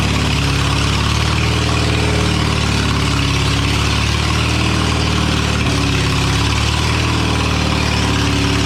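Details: Old abandoned Spider forklift, running without an exhaust after fuel system and carburetor work: low drone wavers with uneven lurches and a brief stumble; not running right.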